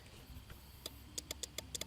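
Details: 1992 Plymouth Laser RS Turbo, radiator fan relay bench-tested by touching battery power to it: sharp dry clicks, about ten in just over a second, relay pulling in properly.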